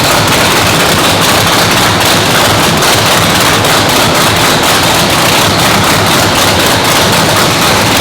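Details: 997-cubic-inch nitrous race motor, freshly built, second fire-up after a 10-minute cool-down, brought to 200 degrees to seat the rings; very loud hard-edged crackling exhaust at a high steady idle with sharp pops; normal engine warm-up run.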